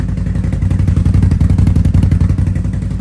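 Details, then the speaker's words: Motorcycle with about 8,727 km, cold start: deep, even thumping idle about three pulses a second, steady with no misses or clatter, healthy idle. "It always sounds good. I'm so glad I got that last year."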